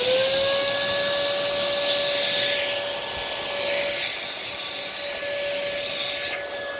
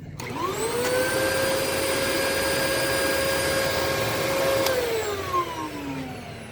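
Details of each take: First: Early 2002 Dyson DC07 HEPA+Bactisafe upright vacuum, Malaysian-made: steady high suction whine with strong suction and no duct clogs, then an oddly weird-sounding motor wind-down on shutoff with bin fitted; sounds fairly normal with bin removed, cause unknown. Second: 2002 Dyson DC07 HEPA vacuum, bin removed, no ductwork clogs: motor spins up to a steady high whine, holds evenly, then winds down smoothly; sounds essentially normal with a slightly weird tint.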